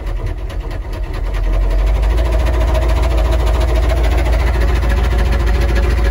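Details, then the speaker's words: Military Humvee diesel, used for plowing snow, running with almost no oil pressure: a hard regular knock about three times a second over a loud idle, rod knock. "oh this thing's knocking hella hard there's like no oil pressure and so we're just plowing snow with this truck it's crazy dude"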